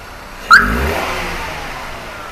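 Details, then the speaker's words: Maruti WagonR CNG/petrol with misfire, vibration and poor pickup (codes P0300, P0302, P0303): quick, clean throttle blip settling evenly after ignition coil replacement, engine now stable and MIL cleared. "हो गया, engine stable है।"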